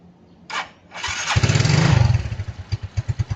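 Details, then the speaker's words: Suzuki Hayate motorcycle after spark plug and front brake switch replacement, cracked vacuum hose still present: fires after a few cranks, catches quickly and settles into an even, steady idle; easy start. "อ่ารถสตาร์ทติดง่ายนะครับ"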